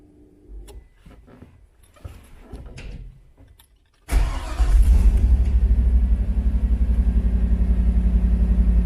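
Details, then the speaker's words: Chevy El Camino with LS swap on Holley EFI, now hooked to internal MAP sensor: V8 catches at once and holds a steady, even idle with no hunting; air-fuel ratio now reads about 14 instead of 9–10, a good sign. "off the bat it's a lot better last time it was running like uh nine and ten so now it's up to 14. so it's a lot closer to what it should be so that's a real good sign"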